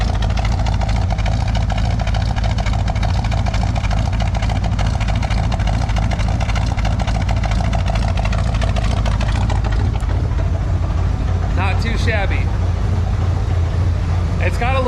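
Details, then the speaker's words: 1978 Chevy C10 V8 with Quadrajet carb on choke, cold start idle, straight-through exhaust with glasspacks: uneven sputtery exhaust pulse about every half second, sounds like a miss; owner suspects glasspacks/exhaust echo, not confirmed. "sputter that sounds like a Mist but it's actually it's not it's it's got to be something with uh the way that those glass packs are"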